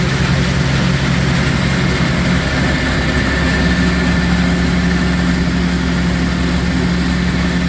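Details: Newly bought Gehl 100 grinder mixer with hydraulic augers: steady even low drone under load with no knocks, rattles or surging. Normal, smooth running.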